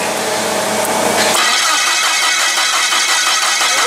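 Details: Komatsu (possibly GS20) with crank no start: starter spins the engine at an even rhythm, about three turns a second, but it never catches; weak spark from a weak ignition coil.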